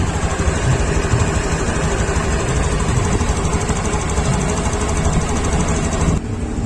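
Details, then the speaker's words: Honda Beat Sporty Deluxe (year stated as 2021) scooter that stumbled on initial throttle; after cleaning throttle body and IACV sensor and setting the idle screw, idle is steady and even, neither too high nor too low: normal idle. "stasionernya enak banget enggak terlalu kegedean dan enggak terlalu kekecilan"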